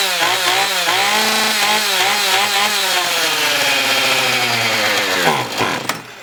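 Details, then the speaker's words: Husqvarna 450 X-Torq chainsaw after carb pump diaphragm replacement, bench run: revs unevenly with wavering pitch, then bogs and dies after about five seconds; fuel starvation from a hole in the primer bulb. "that ain't [Music] good starving for fuel"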